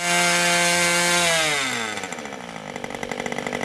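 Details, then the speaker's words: Old Austrian HP 61 two-stroke nitro RC airplane engine at full throttle, high-speed needle about half a turn in from start: clean steady high scream, then revs fall to crackly lower run; high end well tuned, not tach-checked. "at this point i'm pretty happy with the high end i didn't check it with the tack but all in all i thought it sounded pretty good"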